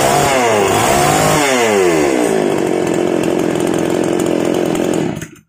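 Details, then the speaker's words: Outboard two-stroke engine warming up just after an oil change (previously sounded rough, oil suspected): buzzy high-revving note dips and climbs, then holds even and steady before cutting off cleanly; smooth, healthy running. "Alhamdulillah, ini bagus sekali."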